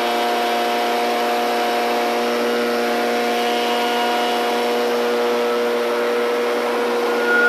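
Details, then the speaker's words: Echo PB770 two-stroke backpack blower started on full choke until it fired, then off choke and pulled until running; steady even whine at constant speed, no surging or sputter, normal running. "these pb770s tees they run so good"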